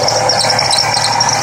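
Shrill, steady squeal holds constant over the running engine without letup; a slipping accessory belt, though which one isn't clear. Cause suspected, not confirmed.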